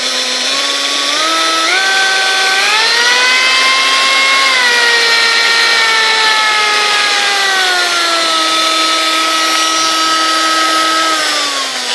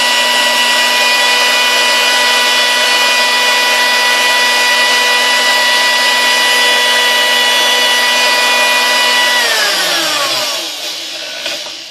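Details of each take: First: Sunbeam Mixmaster 1-7a stand mixer, handle and knob broken in shipping, switched on before disassembly and service: motor whine climbs in steps, holds, then sags in pitch; uneven start-up, cause unknown, possibly internal damage. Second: Sunbeam Mixmaster 1-7A, 235 W, after cleaning, lubrication and rebuilt speed resistor: smooth, steady motor hum with even whine across all speeds, winding down cleanly at switch-off; healthy running, no rubbing.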